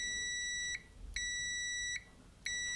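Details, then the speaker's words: Multimeter continuity test across a switch: steady high-pitched tester beep in three stretches, confirming the circuit is closed. "let's see now if we got continuity so here and here yes"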